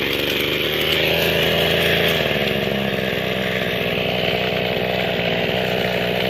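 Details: Mikino/Vikino 768A two-stroke motor sprayer after replacing the faulty carburetor. Steady high-speed buzz with a crisp, even beat and no misses. Normal running.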